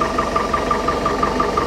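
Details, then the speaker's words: 1968 Starcraft Islander, Mercruiser 120 hp four-cylinder, after new water pump, timing cover, PerTronix electronic ignition, plugs and wires, timing set to specified 8 degrees at idle: low, even, steady idle with faint regular light tick; runs beautifully. "she kicks right off and runs beautiful it ran a little started a little hard the first time i started it"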